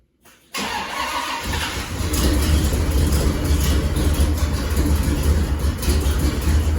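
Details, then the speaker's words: 1979 GMC Caballero big-block V8 fires up into a loud, raspy, chuffing idle from an exhaust leak; the header-to-exhaust donut joint at the collector is very loose. "this is my dad's Caballero Caballero GMC El Camino basically he has a pretty bad or a series of pretty bad exhaust leaks"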